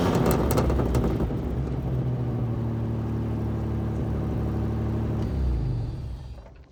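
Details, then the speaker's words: One of two long-sitting free Camaros on first drive: engine pulls under load with an uneven, throbbing drone and loose rattles plus vibrations, then fades; running rough, cause unclear. "It sounds like an absolute heap of shit when you're driving it. There's so many noises and vibrations, but hey, it moved."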